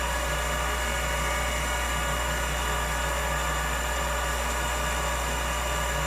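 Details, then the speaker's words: Old Finch hard drive for a Centurion minicomputer, heads unlocked and spun up while owner fears a head crash: steady even whir with low hum, no scraping, screeching or ticking; heads flew, drive sounds normal. "it sounded totally normal I didn't hear any screeching or scratching or zinging or anything that would indicate a head Crash"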